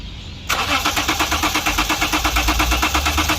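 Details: 2011 Lexus IS 300, customer complaint no start: starter cranks the engine evenly, about three pulses a second, but it never fires; fuel gauge shows petrol yet pressure gauge reads zero fuel pressure.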